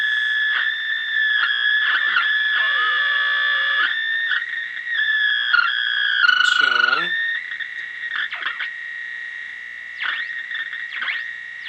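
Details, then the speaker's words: 1933 RCA Model 120 cathedral radio at 100 V with original 1930s electrolytics: steady high whistles with sliding, warbling swoops at high volume, differing by band; RF stage oscillating, suspected from poor filtering and audio-load dips, not confirmed. "so we got it up to 100 volts we've got motor boating at high volume squeaky motor boating so motorboats motor boats differently on different bands"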